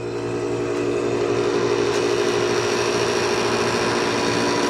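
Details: Condura aircon that previously only hummed when switched on, after capacitor work: steady even hum with constant low drone and fan rush, no clicking or stalling; starts, runs normally and cools.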